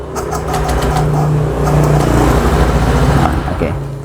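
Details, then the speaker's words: Honda Vario 150 injected scooter with hesitation and stumbling, spark plug refitted and fuel primed by five key cycles, during ISC adjustment with a flat screwdriver; idle surges and sags, then fades; unstable idle, stalling. "Nah, jadi untuk penyetelan ini, Teman-teman, ini gak langsam ya. Ini tidak langsam. Nah, tuh dia akan mati sendiri."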